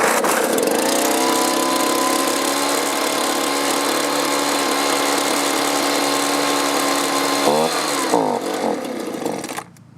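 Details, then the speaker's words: Two-stroke leaf blower stored over winter with fuel thought to be at least a year old, after fitting a new fuel filter and running on three-quarter choke: buzzes steadily, then pitch sags and wavers before stalling; still bogging, starved of fuel. "still bogging so you can see it'll run but i have to run it three quarters choke so it's still starving for fuel"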